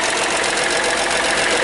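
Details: Hyundai Matrix 1.5 CRDI diesel, just after hydraulic lifter replacement, at idle: quick, even metallic ticking over the idle as the new lifters have not yet pumped up with oil; lifter tapping, to be bled by revving.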